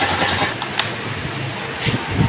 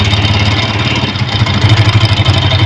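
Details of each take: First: Honda motorcycle running after the repair: steady, even engine note with no knocks, rattles or ticks; the earlier noise is fixed. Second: Honda motorcycle at idle: rapid tappet-like clatter pulsing with the engine beat; the cause is the flywheel magnet rotor broken loose at its old weld, not the tappets.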